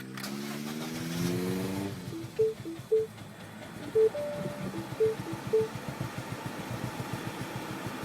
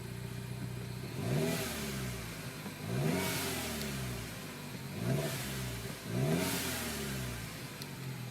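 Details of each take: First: 2007 Mini Cooper S R56 with JCW Stage 1 kit, just over 60,000 miles, cold start after sitting overnight: catches then runs lumpy, uneven, struggling to rev, seemingly on two cylinders; owner suspects high-pressure fuel pump, plans spark plug change. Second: 2007 Mini Cooper S R56, JCW Stage 1, about 60,000 miles, new longer timing-chain tensioner, with a cold-start stumble (owner suspects HPFP): now four clean throttle blips building boost, no misfire or stumble; running normally.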